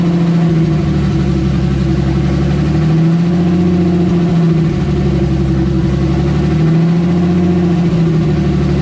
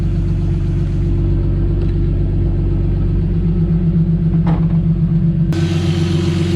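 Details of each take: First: Turbo M52-swapped BMW E30, earlier run with a big vacuum leak: idle hunts up and down every three to four seconds in rhythmic surges; vacuum leak. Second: Turbo M52-swapped BMW E30 with no vacuum leaks, warming up before thermostat opens with coolant bubbling: even low rumbling idle with no hunting, surging or hiss; normal idle.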